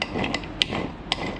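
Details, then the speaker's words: Transmission removed from the vehicle and turned by hand: dry scraping with sharp metallic clunks; apparently no oil inside and metal found at the drain plug, internal damage from oil starvation. "I don't think that sounds good. I don't think there's any oil in it neither."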